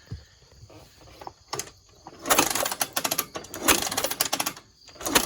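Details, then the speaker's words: 1985 Honda ATC250ES Big Red three-wheeler after 16+ years sitting, valves checked free and sprayed with WD-40, no carburetor fitted: uneven bursts of starter whir and mechanical clatter as it spins over; the engine turns freely and is not seized. "so i took out both the valve covers and both valves seemed to be moving freely i sauced them up with some wd-40 and i cranked the engine over still don't have a carb on it yet"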